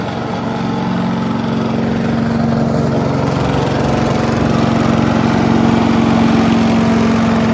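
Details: Mighty Mac wood chipper/leaf shredder, free non-running unit, small engine restarted after replacing the rusty seized choke flap, runs steady with coarse shaking throb near three beats a second; violent vibration, likely out-of-balance rotor.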